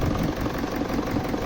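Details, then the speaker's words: 2007 BMW E65 745d 4.4 V8 common-rail diesel (EDC16C31) in limp mode with EGR faults: rough idle with a regular knock about six times a second, steady; cause unclear, failing injectors suspected. "so let's go and have a start it immediately as you can hear the sound is clocking knocking we talked that probably some of the injectors can be gone but we're not sure about"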